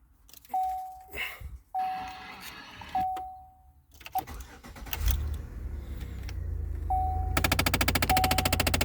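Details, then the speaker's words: 2009 Chevrolet Impala with stripped blend doors: rapid, even clicking from behind the dash, roughly ten a second, heard with the glove box dropped; suspected stripped blend door actuator, four fitted, being replaced. "maybe today we're working on a 2009 chevrolet impala it uh has some blind doors that are stripped out"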